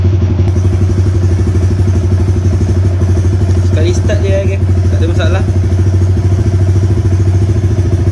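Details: Motorcycle with 57Dome spec engine, after ECU remap base and TPS calibration: steady loud single-cylinder idle with an even beat, no knocks or misses, faint voices behind; runs fine, timing slightly high.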